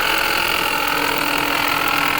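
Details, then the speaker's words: 2020 Ford Escape 1.5 at idle: steady high-pitched whine over an even idle, heard mostly from the alternator. A water pump was first suspected; the noise seemed to go away with the AC off. "We're hearing most of her coming out of the alternator. I thought it was a water pump."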